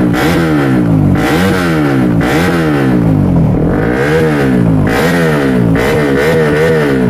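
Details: CRF engine with a new BRT 4-valve head, free-revved: quick blips about once a second with crisp rises and falls and a very loud exhaust. Pickup is fuller than usual and the valve noise is noisy; a healthy free rev.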